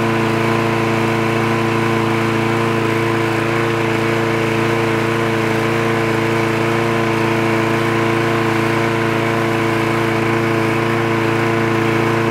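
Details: Trash-picked free Craftsman lawn mower with automatic choke, running after the spark plug wire was reconnected: a steady, even engine drone at constant speed with no misses, surging or knocks; it runs healthy.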